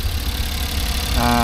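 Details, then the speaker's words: High-roof minivan for a camper build, odometer 186, idling: a steady, even low rumble with no knocks or misses; the engine is judged good, a normal idle. "Yung makina, ang goods naman."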